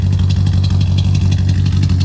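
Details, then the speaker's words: Car with freshly swapped 540/6 engine idling: deep, steady burble with even pulses, no ticking or knocking; healthy smooth idle after the swap. "this thing is just idle it's awesome so good I love this bar"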